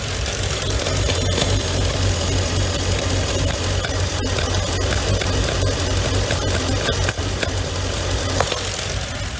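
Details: Mercedes W463 G500 with P0444 purge valve code, after a throttle reset and relearn: petrol engine idling unevenly with a loose, irregular shake and stumble, a lumpy rough idle; purge control valve suspected, not confirmed.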